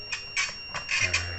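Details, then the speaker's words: Mutant fire alarm control panel test, with the smoke detector opened and covered to simulate smoke: a high steady ringing tone with bright bursts on top. The fire alarm sounder is going off after the detector trips to fire, until it is reset. "Nah ini fire ini akan ini nyala juga, harusnya bunyi"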